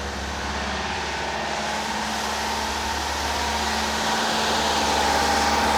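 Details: Rebuilt Porsche 912 air-cooled flat-four in a 911: steady raised idle, even beat, no misses or knocks, after timing retarded from about 38 to roughly 31–32 degrees; normal fast idle.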